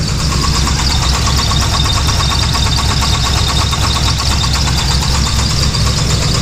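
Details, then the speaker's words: 5.3 LS V8 in a third-gen at idle, good oil pressure, new belt and alternator with belt still squeaking; heavy regular knocking seeming to come from the crank; suspected rod knock, not confirmed. "oh yeah now we have oil pressure that's never been bad it's always had good oil pressure well you can hear the knocking pretty loud"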